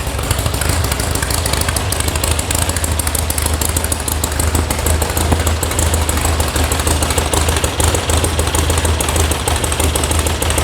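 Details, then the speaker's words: VW air-cooled flat-four sand rail idling warm after electronic ignition install and carb tune, oil pressure 50: steady idle under a fast loose metallic rattle from a loose heat shield. "That rattling heat shield that's missing is, well, really annoying to me."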